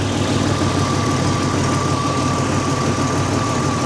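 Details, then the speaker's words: Buick Grand National, warm engine with the idle air control valve unplugged, set screw being adjusted toward 750 rpm: steady even idle drone with no misses, still a touch fast; idle slightly high. "that's still maybe a little too high we're going to keep it there that's what I'm going to do we're probably pretty close now"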